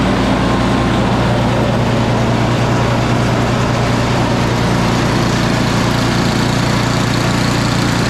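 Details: Salvaged "big red" snow blower started on recoil with choke on and primed, oil looking new, spark plug heat range 2: small single-cylinder engine holds a steady, even chug with no misses or surging after revival; normal running.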